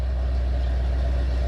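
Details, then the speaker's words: 1968 Pontiac ambulance with an Aces Killshot throttle-body EFI, idling while warming up at high idle: deep, steady low rumble with even firing and no misses or knocks. Running smooth and fantastic; normal warm idle. "Listen to how smooth that thing is running. Even at the high idle, it's running just fantastic."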